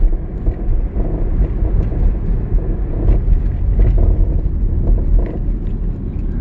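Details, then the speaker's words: 2011 Hyundai Elantra driving over bumps and uneven road: road rumble with scattered dull knocks and rattles; suspension clunk, owner suspects worn struts or rotor issue, unconfirmed. "every time it goes into a bump or uneven road of any kind it'll make this noise and i'm going to let you guys hear it"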